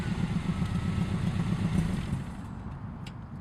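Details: 1997 Subaru Outback with UEL headers and otherwise stock exhaust: deep lumpy rumble with rhythmic puffing pulses on a rev, then settling. An exhaust leak comes from a header flange at the engine block not tightened properly.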